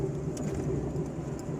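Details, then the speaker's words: 2011/12 Fiat Uno driven on asphalt and cobblestones after fixing a passenger-door rattle that sounded like the door banging; steady low road and engine hum with no rattles or knocks; quiet ride, no rattle. "bem melhor bem mais silencioso não tem mais barulho no nem no asfalto e nem no paralelo dessa desse defeito que tinha né"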